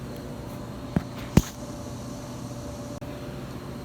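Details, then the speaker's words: Aftermarket eBay exhaust cutout valve, ignition on: a few sharp clicks over a quiet hum but motor doesn't run and valve doesn't open; runs on direct power, bad wiring connection; actuator clicking, not moving. "oh you can't hear it clicking but nothing's happening motor's not moving valve's not opening bad times"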